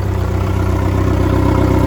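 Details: Newly bought used outboard run in a barrel of water after new water pump impeller (old one gave inadequate flow): even low steady idle, smooth unbroken beat, no knocks or squeals; runs normally with stronger water stream.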